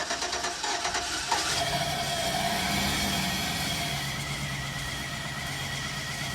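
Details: Chevy Express van with dead fuel pump kept running on sprayed brake cleaner: engine catches and revs briefly with uneven sputtering, then fades and labours as the spray runs out; fuel starvation from bad pump.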